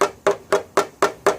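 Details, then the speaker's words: 2014 Subaru XV Crosstrek rear deck lid dent during paintless dent repair; sharp tapping about four a second gives a hollow drum-like ring where tension sits, fading as panel flattens. Panel tension changing tap tone. "And you can hear that kind of weird sound, as opposed to up here where it's a normal sound, but this kind of sounds like it's the backside of a metal drum. Well, that's where all that tension is, right there."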